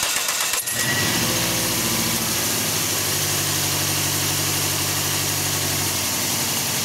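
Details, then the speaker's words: 2003 Toyota Echo, four-pin coil-over-plug ignition, P0304 code: engine cranks, catches and idles unevenly with lumpy stumbling beat, dead cylinder; cylinder 4 misfire from failed number 4 ignition coil, fixed by replacing coil. "not sure if you can hear how this engine's running it definitely has a dead Mist I'm going to start with the number one just so you can hear it"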